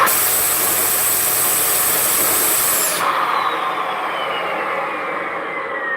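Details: Shark vacuum: loud airflow hiss with a thin high whistle on top, then a falling tone as the motor winds down; whistle from a specific part in the suction path, exact cause not confirmed.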